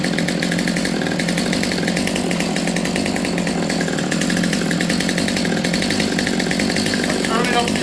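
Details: Stihl MS200T chainsaw, previously boggy, after low-speed jet set three-quarter turn out then slightly rich: steady high two-stroke buzz at even pitch without stumbling; runs cleanly.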